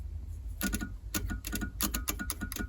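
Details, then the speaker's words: 1999 Honda Odyssey HVAC control module fault, lights blinking and blend doors not moving; brown-and-yellow blower relay wire grounded through test light: quick dry relay clicks in uneven bursts over low hum, test light glows faintly, drawing heavy current; cause suspected. "and we can hear it clicking it lights up my test light faintly that's drawing an awful lot of current for a little relay"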